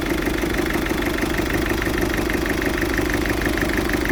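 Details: Ford Fiesta 1.6 TDCi diesel rough idle: uneven, lumpy beat about three pulses a second with steady clatter; smokes acrid when revved, cause not yet found, owner planning to check live data with Forscan.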